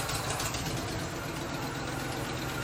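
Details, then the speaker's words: 1997 Ford F-250 OBS V8 pickup, first run after sitting about a decade: uneven, loping, stumbling idle with a wavering low rumble. Shaking badly when revved and smoking a little. Rough idle, misfire-like, cause not yet found. "let's give it some revs oh now she's really shaking smoking a little"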